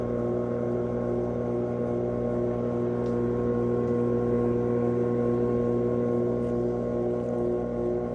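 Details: GE washer GTW500ASNOWS: steady motor hum with smooth drum whir ramping up, normal spin cycle.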